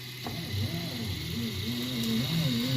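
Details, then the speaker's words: Anet A8 3D printer with new belts and linear bearings; soft stepper tones rise and fall with each carriage move, only the belt audible, no scraping or drag; quiet normal axis motion. "can barely hear that there is no drag yeah the difference in bearings all you can do is hear the belt on that one"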